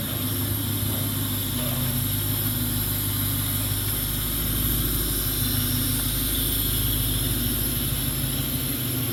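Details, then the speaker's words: 1996 Ford Mustang GT convertible, 4.6 2V automatic, stock with Thrush chambered mufflers: steady, even low V8 burble with no knocks, ticks or misses; normal idle. "Uh stock everything, Flowmaster no Thrush. Thrush chambered mufflers. >> Flowmaster? >> No. >> Running like a diesel."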